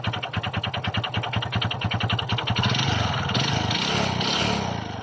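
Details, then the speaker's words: Kymco Visar 110 scooter, run after reinstalling the clutch housing: hollow knock about four per second at idle blurring into the revs; internal engine knock not cured, head and block to be removed next. "e bad news guys hindi nawala ang ingay o kalampag sa loob ng kanyang makina kaya tulasahan proceed tayo sa plan b"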